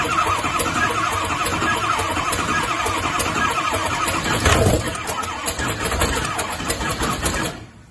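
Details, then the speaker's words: Ranchtang Mustang, which died after a 20–30 second burnout at 5300 rpm and wouldn't restart: about seven seconds of lumpy, uneven cranking with steady intake popping, never catching; compression differs cylinder to cylinder. "you can hear the difference in compression from cylinder to cylinder which you will see later in the relative compression test also notice the steady popping noise coming from the intake"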